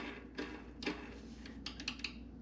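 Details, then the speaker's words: 40-year-old metal-cutting bandsaw teardown: bandsaw blade guide roller bearing rolled by hand gives scattered dry clicks and gritty ticks, rough and worn; guides probably to be replaced. "those aren't the that one doesn't sound good at all things [ __ ] you're 40 years older right i don't sound that good either"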